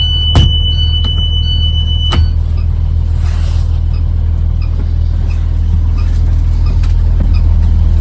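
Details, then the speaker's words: School bus pre-trip inspection, with the left-side emergency window opened and the engine idling. A shrill, steady high beep for about two seconds over the low rumble, and the window opens freely: exit alarm working normally. "You're going to open it. I hear my beeper, and the window opens freely."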